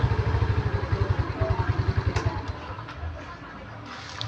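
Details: Mio Smile scooter that lost power after about 40 km; after tank/carburetor setting adjusted to 3 turns it starts instantly. Quick throttle blips two or three a second, crisp and even, then settles back; revs cleanly.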